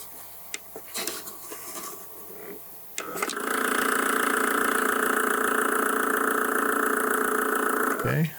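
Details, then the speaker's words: Tascam 122mk3 cassette deck before rebuild: after a click, loud steady whirring hum with buzzy edge for about five seconds in rewind/fast forward, far noisier than normal; head stack also slow to engage. "let's push the leaf switch see what other kind of functionality I have okay that works but boy is that noisy"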